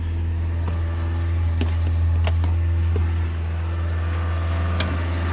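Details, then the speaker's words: 1986 Toyota MR2 AW11, mid-mounted 4A-GE, 5-speed manual, cold start at about 50°F after three to four days sitting: steady, even low idle, smooth hum, no misses or knocks; runs really smooth. "so you can hear it runs really smooth"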